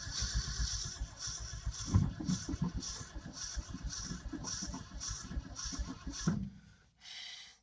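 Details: 1967 Ford F350 truck: sluggish, uneven, labouring starter cranking for about six seconds, too slow to fire, never starts. Owner suspects a corroded negative ground cable, the battery, or the fuel pump; not confirmed.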